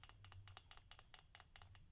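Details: Modified Pico 28.7 RC car, gears rocked by hand: light crisp ticks about every fifth of a second; pinion-to-spur mesh set correctly, neither too tight nor too loose.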